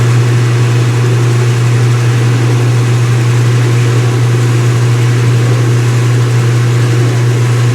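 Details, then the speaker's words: Speed Queen washer, front panels off, white bed sheets, on wattmeter: high-speed spin settling around 500 watts, deep steady hum holding one pitch, no wobble or knocking; normal. "All right, guys, and this is what this looks like at high speed. Pretty freaking awesome."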